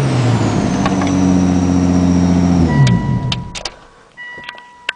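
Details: 1996 Ford Probe GT KLZE V6 revved: uneven stumbling misfire pulsing about four per second; plugs changed a month ago, owner suspects old melted, warped 3-year-old plug wires.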